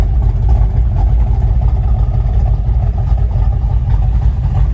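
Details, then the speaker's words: Ford F100 with factory 351 Cleveland V8, reportedly FMX automatic, nice camshaft: deep, loping idle with an uneven, choppy beat about two pulses a second, typical of a big cam; healthy. "It's got a nice cam shaft in it. sounds real healthy"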